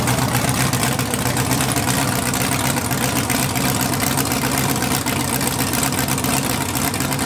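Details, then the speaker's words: Budget LS-swapped Mustang drag car, first start on open headers: loud, steady lumpy V8 idle with no knocks or misses, holding even; engine running healthy. "suck it science look at that sounded like a champ now we need a turbo kit"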